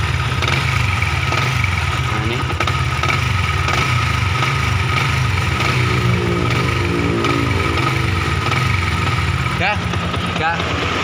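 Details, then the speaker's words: Yamaha Vixion New engine: loose repeating "glek glek" clunk over idle, persisting with clutch pulled (so not clutch damper rubber), from worn primary and balancer gears; replacing both gears should cure it. "Untuk suara glek glek glek glek itu gigi primer dan gigi balan ya."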